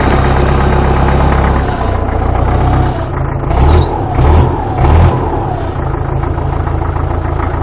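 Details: Belarus MTZ tractor diesel after cold start at -14 degrees, after sitting 2 weeks: clattering rough-edged cold idle with a few throttle blips that rise and settle; normal cold diesel running.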